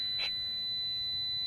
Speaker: all right guys we have our leads back on normally open and common and you can hear the meter is beeping so the new fan relay does work